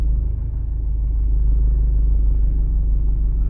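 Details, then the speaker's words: Nissan X-Trail diesel after engine overhaul and bench-tested pump and injectors: low, uneven, lopsided idle with cabin vibration; disconnecting cylinder three's injector changes nothing, so cylinder three is dead. "вмкнув не відчулося 100% третій циліндр не працює"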